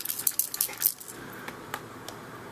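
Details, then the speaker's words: Xbox 360 controller being shaken; it has been dropped many times and the owner suspects chips have come loose inside, though it still works. Light clicky rattles in quick bursts, then sparse ticks. Suspected loose internal part. "because I've dropped it so many times and I could just kind of hear the microchips that they've fallen off. It still works though."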